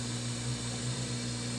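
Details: Whirlpool Duet washer after drain pump repair for F21 error, earlier making metallic grinding sputter: soft, steady pump hum with low drone and water rush, no grinding or straining; drum draining normally, no F21.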